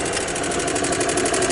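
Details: 1993 Club Car gasoline golf cart, normally hard to start and prone to stalling, with the micro switch bypassed: after the key is off the engine keeps chattering at a steady idle with light rapid ticking, dieseling on and not shutting down; cause unknown.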